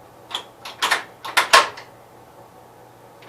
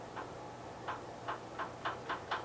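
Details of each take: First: 1973 Gravely 810 tractor transmission after PTO change and side cover reinstall, turning in gears with axles spinning: soft rhythmic whirring clicks about every two-thirds of a second, no knocking or grinding; normal gear mesh. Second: 1973 Gravely 810 with PTO clutch disengaged: sharp, regular ticks over a faint engine hum, speeding up to about four a second; forward or reverse clutch bearing suspected.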